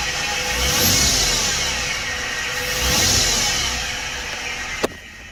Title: Whining sound from engine bay as engine revs, it gets higher pitched. 2011 F150 3.7 V6.